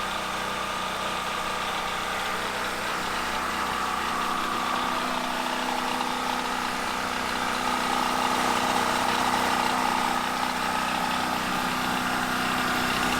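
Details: Gasoline generator converted to tri-fuel kit, running on propane after a one-second purge and pull start: steady, even engine drone with no misses or knocks, settling into smooth idle; normal.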